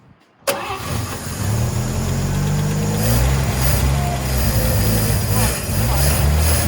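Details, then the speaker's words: 1954 Chevy fed a teaspoon of gas into the carburetor: after a short crank it catches and runs lumpy and uneven at a low idle; the owner declares the carburetor junk. "Oh, there you go. Yeah, carb is junk. Boy, it runs."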